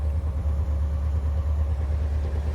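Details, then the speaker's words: Engine with a Holley 4-barrel carb after the fast-idle (choke idle) screw was adjusted: an even, low rumble at about 1000 rpm cold fast idle, steady with no hunting or stumble. It sounds better; normal. "Just from sound, that sounds a little better. It's 1,000 RPM."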